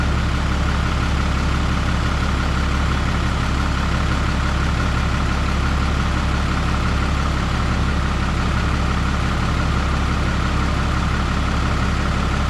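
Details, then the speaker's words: 2012 Ram 3500 6.7 Cummins after cylinder head replacement for a head gasket leak or possible cracked head, coolant refilled: deep, steady diesel idle firing evenly on all cylinders with no odd noises or check engine lights; normal. "Not hearing any funny sounds. Sounds like it's hitting even on all cylinders. It's noisy in the way that a Cummins should be noisy."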